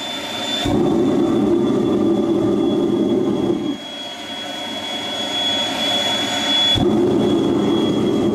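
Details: Homemade jet engine (gas turbine) built from a turbocharger, propane-fuelled student project from May 2005: steady high turbine scream with thin whistle, roaring afterburner bursts coming and going; normal run.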